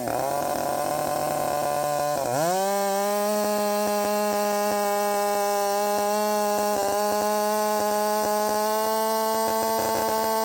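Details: Redmax 5000 chainsaw with wide-open exhaust port muffler mod, 16-inch bar, sharpened steel RS chain, 8-pin sprocket, full throttle in cut after self-tune: dips briefly, then climbs and holds a high steady clean scream; pulling hard, feels much faster.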